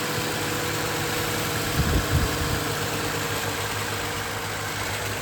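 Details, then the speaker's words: 2020 Toyota Sienna after water pump (worn pulley bearing) replaced and belt refitted: even steady idle, no growl or rattle from front of engine, a couple of brief low thumps — normal idle. "Make sure the belt properly. No more noise."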